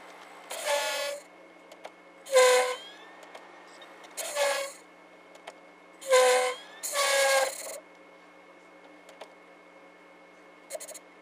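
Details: SV2000 VHS/DVD recorder combo: short buzzing squawks, about five in ten seconds, from the mechanism between quiet pauses; owner says every unit of this model does the same.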